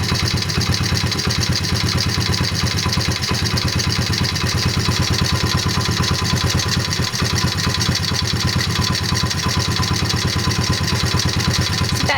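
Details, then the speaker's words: 2003 Honda XR50R 50cc single at idle: steady light rhythmic tapping, a couple of ticks per second locked to engine speed, louder on the right side, suspected transmission or crankshaft area rather than valve train; source unconfirmed. "it's a rhythmic tapping and I believe it's louder on the right right side of the engine"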